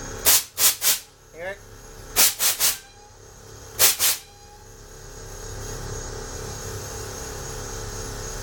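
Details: 1998 Blazer air valves wired to a switch box, heavy vehicle: short sharp crisp bursts of hissing air in groups of two and three as valves switch and vent; compressor kicking on often; normal air valve venting.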